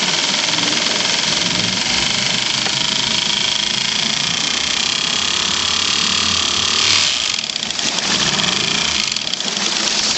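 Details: Honda B100 outboard, serial 1013973: hard metallic knock over a buzzy exhaust note, with about 1/8 inch flywheel free play and ticking noted; owner hoped for lifters, suspects serious damage, source unconfirmed.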